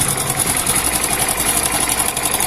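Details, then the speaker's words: Hero Splendor Plus BS6 motorcycle at 40,318 km, engine idling: a fast, dry metallic clatter over the engine beat from a loose timing chain rattling, heard before the timing chain kit is replaced. "दोस्तों, असल मुद्दा यह है कि इसकी timing chain से आवाज आ रही है।"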